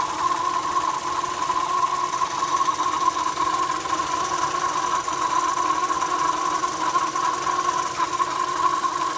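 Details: Opel Astra J 1.4 A14XER: a steady, fairly high whirring whine over a smooth idle that follows engine rpm, apparently from the left side of the engine, lower in pitch with the A/C compressor on; owner suspects a belt rubbing something hollow or flow noise in the fuel filter.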